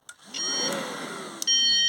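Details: Mercedes SLK350 with code P0410 (secondary air injection), new secondary air pump powered directly: high, steady hair-dryer-like electric whine spins up, cuts out briefly, then runs again evenly; pump motor working.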